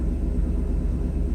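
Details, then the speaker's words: Mercedes 500SL V8 on cold start, idle not yet tuned: deep, even low rumble at steady cold idle, revs coming down, no knocks or misses; normal operation, slight vibration to be dealt with later. "that's normal operation I have not tuned it yet there's a little bit of a vibration but I'll deal with it later"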